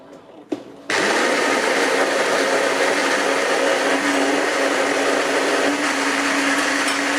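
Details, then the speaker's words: Saeco PicoBaristo SM5478 espresso machine after repair of alternating E03/E04 brew-unit drive/sensor errors, first coffee after bleeding air: click then steady even high grinding whir as brew unit closes; normal grind and brew cycle. "Zaparzacz się zamknął. Brawo! Jest!"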